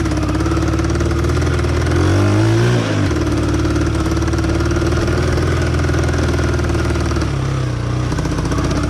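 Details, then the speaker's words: 1971 Honda barn-find motorcycle after restoration, cam found installed backwards and corrected, riding under load: uneven stumbling thumps with dropouts, missing; owner suspects weak fuel line, dirty carburetor or lean running. "Hear that missing?"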